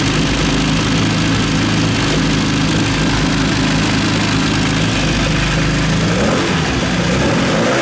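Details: Classic Mini 1.3 track car, after fitting used 1.3 roller rockers and correcting wrong plug-lead firing order that caused backfires: revs cleanly with a strong, even note then settles; no valvetrain ticking, engine sounds healthy.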